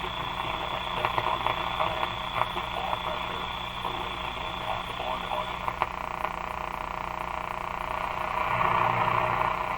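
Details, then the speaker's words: Canadian General Electric C701 console receiver on the bench, tuned near 590 on AM; muffled, underwater-sounding voice under hiss, crackle and buzzing from interference picked up by the radio, crackle possibly a household thermostat. "all those sounds are interference being picked up by the radio"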